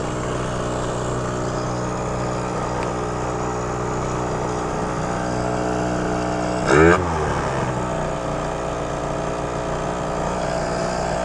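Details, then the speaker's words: Malaguti Phantom F12 scooter, 70cc two-stroke with Stage6 MK2 kit and Yasuni C16 pipe, temperature near 260–280°: uneven, burbling idle stumbling after a stop with one brief flare; loads up at idle, cause unconfirmed. "really weird to me like it gets all loaded up right there if i come to a stop for a little bit watch"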